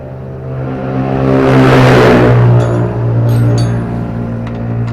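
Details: Diesel R180 single-cylinder engine, after piston ring installation for complaints of low power and oil consumption, started after refilling oil; steady low even diesel thrum rising smoothly with throttle, no knocks or misses.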